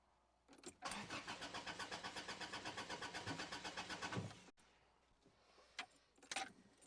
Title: Car Cranks, No Start